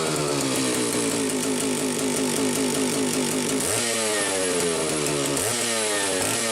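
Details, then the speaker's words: Homelite 750 chainsaw test run after repair (drum reseated, duckbill valve fitted in leaking oil cap), tons of compression, has compression release: strong, even two-stroke buzz holding steady, then revving cleanly twice with no slipping or rattle; runs healthy. "my god that sounds awesome I never get enough of these saws"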